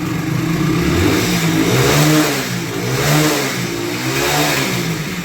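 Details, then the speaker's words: Hero HF Deluxe BS6 single-cylinder bike with a starting problem: clean rises and falls in revs, even firing, no misses or rattles, picks up smoothly; normal revving, ready for delivery. "బండి అయితే perfect అయిపోయింది బండి అయితే delivery ఇచ్చేది ఉన్నది"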